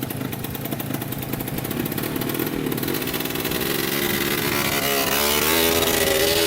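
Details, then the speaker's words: 2003 Polaris Sportsman 90cc two-stroke ATV on its first ride after a new top end, oil pump and wheel alignment fix. Pulls cleanly through the revs with a crisp, even exhaust note and no misses; owner says it runs really good. "all right so first ride done with it runs really good"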